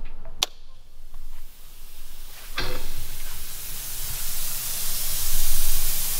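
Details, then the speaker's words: Land Cruiser rear ARB air locker, compressor on and tank at full pressure: steady rising hiss over engine hum as air escapes the diff breather, then compressor kicks back in; internal leak, later traced to a damaged copper pipe. "that noise you can hear is all the air coming out of the breather and then the compressor kicks back in"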